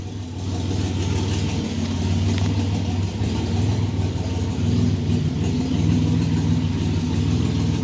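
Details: 1985 Chevrolet S10, 2.8 carbureted two-barrel V6, 4-speed automatic, transmission not yet installed, almost 60 psi oil pressure; steady idle with rapid even tapping over low hum; internal knock, source not yet checked.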